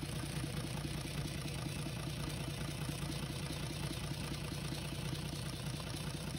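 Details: UD Nissan PKD 411 truck, NE6 six-cylinder diesel after intake valve repair, tappet cover off checking oil flow: steady idle with even low beat about two per second, no knock or tapping; normal idle.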